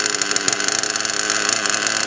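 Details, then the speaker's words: Mugen MBX6R nitro RC car on VP PowerMaster fuel, retuned after switching: shrill buzzing engine idles very high and surges inconsistently after idle was lowered; expected to cut out, and it ran fine once back on Nitrotane. "So one of the things I'm getting is a very, very high idle, and so I'm trying to figure that out. I dropped it some. You can hear how inconsistent the idle is."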